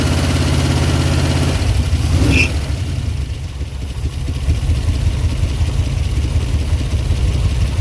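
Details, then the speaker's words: Eleanor Mustang abandoned over a decade, likely a 289 V8, first start attempt: engine catches into a lumpy, uneven, typewriter-like idle, dead on about two cylinders; rough idle and misfire. "It's running. It ain't running really good though, but it's running. Hey, it's idling too. Oh, it sounds bad. It's dead on like 2 cylinders for sure."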